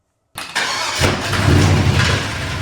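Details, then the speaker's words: Truck's freshly rebuilt V8 on first start: runs ragged and uneven with heavy low thumping, more detonation or bad misfire than knock; onlookers suspect injector knock from ether; engine later blew a hole in the block at cylinder 8. "It's hard to tell over the video that I'm about to play for you guys, but it was more of a detonation or really bad misfire more than a knock."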